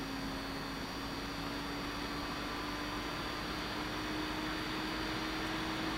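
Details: Visico VC100 LED studio light cooling fan, which cut out after about 15 minutes, likely thermal cut-out; faint steady whir rising in pitch as the fan spins up cleanly; normal fan running.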